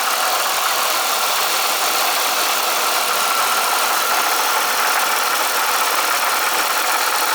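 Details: M90 supercharger with a steady, gritty rattle riding on the idle without changing pitch; owner suspects the coupler or a bad rotor pack, plans an oil change; rattle at idle.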